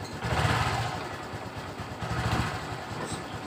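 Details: Honda Supra X 125 fuel-injected motorcycle stumbling and bogging under throttle, hard to start by starter and kick, engine light blinking seven times; mechanic suspects a fault on the left side of the engine near the cylinder.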